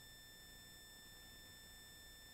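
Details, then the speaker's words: Live-stream audio: steady thin high whistle unchanged over quiet hiss, viewers reporting high-pitch squeal; ground loop whine, source being tracked down. "uh there's a wine will be hard to track down give me one second let me see if i can fix it"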